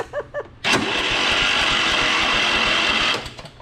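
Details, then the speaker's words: Riding mower engine, starter gear repaired by welding broken spring-keeper piece, camera close at starter, fuel off: steady, even whirr for about two and a half seconds, then clean spin-down; starter engages and cranks normally after repair. "Well, that looks good. It stayed together, went back down."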